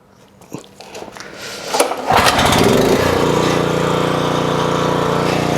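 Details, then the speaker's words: 4 kW generator, pull-started: engine settles into a steady, fast, busy drone, measured at 59 Hz instead of 50 and 128 V instead of 240; owner suspects someone wound it up after it bogged down, running overspeed. "it's running at 59 Hertz not 50. so it's nearly Americans back and it's only got 128 volts got 240."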